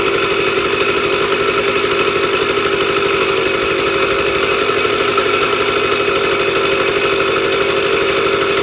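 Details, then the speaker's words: Sears Sabre 50cc two-stroke motorcycle, 1965 or 1966, first start in 45 years after a carb clean: steady, fast, crisp pop with an even rhythm, no stumbling; normal running. "So, now that we know it runs, which is a miracle because it hasn't ran in 45 years, that was the first start in 45 years on this motorcycle."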